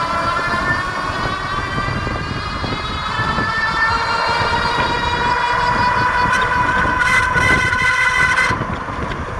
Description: Lectric 2.0 Step-Thru odd sound from rear hub motor area.